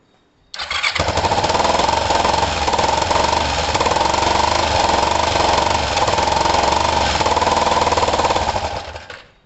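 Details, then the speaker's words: Kawasaki ER5 twin running with one plug lead pulled, so it fires on one cylinder only. The loud, uneven, lumpy exhaust beat never smooths out. Each cylinder runs alone, suggesting both are okay but not working in harmony. "It still starts. So to me, it's like both cylinders are okay, but they're not working in harmony."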